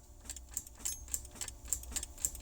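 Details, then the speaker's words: 1936 Buick hot rod starter circuit: sharp light clicks about four a second from a loosely mounted relay under the bonnet, starter never turns; suspected relay or wiring fault, hot-wired for decades, cause not confirmed. "there's a click coming from under the in in the Bonnet so I came around here"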